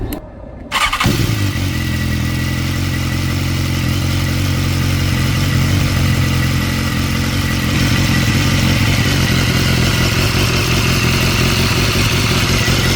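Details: 2016 BMW S1000R after replacing hydraulic cam chain tensioner with manual tensioner, microphone removed: engine catches after a second and settles to an even, smooth idle with no startup cam chain rattle; normal.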